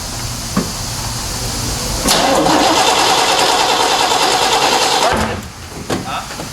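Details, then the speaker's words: 1968 Chevy Malibu V8 with Quadrajet carburetor, during running and timing fixes: brisk, even starter cranking for three seconds with no firing; engine is sparking but flooded and won't catch. "all right it's a flood problem"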